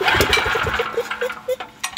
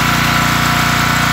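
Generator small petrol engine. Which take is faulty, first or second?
first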